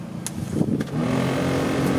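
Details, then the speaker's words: 2004 Renault Twingo 1 cabin blower on full: after handling clicks, a steady droning hum with a rough low rumble from imbalance caused by broken fan blades; blower needs replacing. "Non, c'est pareil. Ouais. Donc il va falloir changer le ventilo. Ça crée un ballour par rapport aux alettes qui sont cassées."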